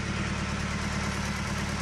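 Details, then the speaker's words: Colt Diesel 100 PS truck, long unused, revived and running a while, thin smoke: steady even diesel idle, smooth low rumble, no knocks or misses; normal idle. "suaranya pun enak Lur ini 100ps temen-temen ya tapi suaranya sudah unggul"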